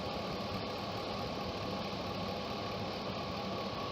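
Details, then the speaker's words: 2003 Chevy Suburban Vortec V8 at 151,000 miles, heard under the hood: even, steady idle with a low rumble and a slightly busy top end but no clear knock. Normal idle. "little dirty sounds like a typical vortech v8 from Chevy"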